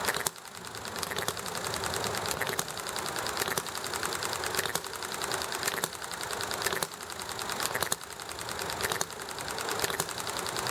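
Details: Enjomor model hit-and-miss engine running smoothly: quick firing bursts roughly once a second, coasting quietly between, with highway noise, alley traffic and conversation in background; healthy running.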